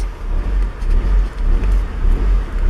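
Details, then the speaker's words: Honda Civic 1.5–2.0L, engine hot after warm-up: idle rumble keeps surging up and down instead of holding steady, worse when hot than when cold; suspected sticking or faulty IACV (P0505), not confirmed. "as you notice is starting to jump right now okay see how it jumps and you can hear the difference between the engine and it's shake like how so when it jumps"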